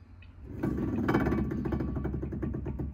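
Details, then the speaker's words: Car during rear brake pad job: rear wheel turned gives a low rough rumbling grind pulsing about three times a second, a dead wheel bearing that must be replaced. "un roulement qui est mort"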